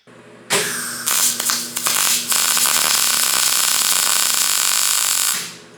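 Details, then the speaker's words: Repaired 39-year-old Linde 225 MIG welder, back together after fixing suspected grounding issues, clamped to a piece of metal in a cold shop: after a few sputters on striking, the arc settles into a steady, even frying crackle; running much better. "I am happy to report that after getting this welder back together it is running much better I don't know if I can say that it's 100% off the line brand new but again this is a 39-year-old welder and it is running and it is running well"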